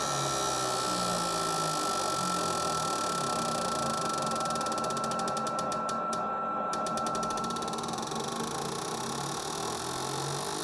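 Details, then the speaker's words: Four Toyota Hilux injectors on a cleaner/tester bench, one-minute flow test simulating up to nearly 10,000 rpm: fast, even clicking over a thin steady whine; sound uniform and healthy, flows 92-98 ml, slight 6 ml spread. "so it takes up to nearly 10 000 rpm they're actually not that bad"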